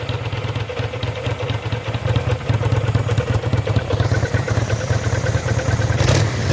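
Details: Kawasaki VN800 V-twin chopper, in a build to fix a big engine knock (rotor removed), gives a steady low, even rumble with no knocking or clatter; the engine sounds healthy, with normal running.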